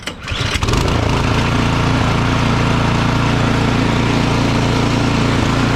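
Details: Craftsman 24-inch electric-start snow blower that had sat with gas left in it, after cleaning the clogged carburetor, started without choke: catches within a second and runs steady and even with no stumbling or surging; normal running.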